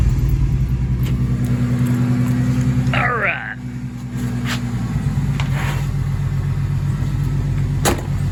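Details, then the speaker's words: 1997 Ford Thunderbird 3.8 V6, hot, code reader shows cylinder 4 misfire: rough uneven idle with stumbling beat, worse when revved; sounds like more than one cylinder, cause not confirmed. "can already hear the misfire but when i rev it up you can really hear the misfire here we go"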